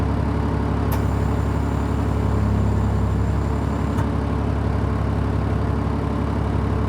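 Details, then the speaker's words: Cold-morning start of a 2003 Stewart & Stevenson M1078 truck: a deep, even diesel idle with a steady low throb and no knocks or misses, adjusting itself while the tire inflation system fills and a pop-off valve sounds. A normal cold idle. "You can hear the idle adjusting itself somewhat here."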